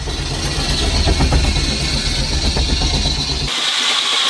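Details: Steam engine driving a saw bench under load with ballast: steady, even chuff about four beats a second, no surging or hunting; a healthy engine.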